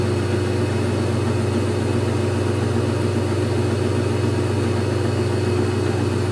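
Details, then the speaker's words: GE Infusor GTWN5050M0WS H.E. washer running an empty cycle, spin picking up speed (maybe not top speed): steady low hum with a faint motor whine, smooth and even; a normal spin start. "well I think it's picking up speed I don't know if that's top speed"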